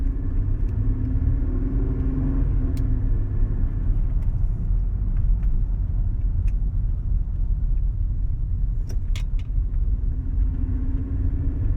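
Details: Mercedes CLK 320 V6 petrol at idle with a deep, uneven grumble; misfire caused by mis-gapped spark plugs and misfiring coil packs.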